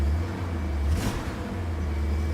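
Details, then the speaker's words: BMW E39 M5 V8 just after replacing holed factory mufflers with low-mile take-off units and fresh 10W60 oil change; deep smooth rumble with one clean rev, no rasp or rattle, much more dignified; normal exhaust note. "Anyway, I've actually never heard this car with mufflers. Engine sure shakes the car. Sounds good. Much more dignified, I like it."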